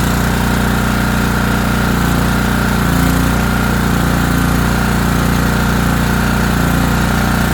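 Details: ETQ TG3000 3000 W portable generator after servicing, choke fully off, producing power: steady, even thrum at constant speed with no misses, stumbles or surging. Normal running.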